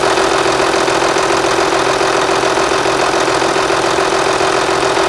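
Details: MAN V12 800 kW diesel, startup after sealing a leaking pump element: smooth, even idle with steady deep hum and no knocks or misses; sounds healthy.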